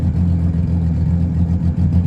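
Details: Sea-Doo GTX 260 after IBR rewiring redone, key reinstalled, tested in forward: deep steady drone holding even under load with a small dip, no knocks or grinding; IBR now working, normal running.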